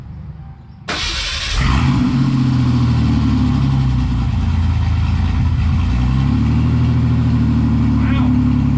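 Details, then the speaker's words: 1988 Ford Bronco II V6 starting into a loud, choppy, deep rumble at idle with no muffler fitted, still with two catalytic converters; sounds like a small V6. "That sounds terrible. That I don't know. It's kind of got some chop to it, actually. Yeah. No, it sounds like a little dinky V6."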